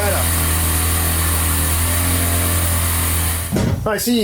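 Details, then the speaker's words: Old long-unused shop compressor filling its tank: steady low motor drone with constant hum, brief shift near the end; pumping normally, no major leaks, only a small drain valve weep. "I don't hear any other major leaks or nothing it's going to weep a little bit because it's old"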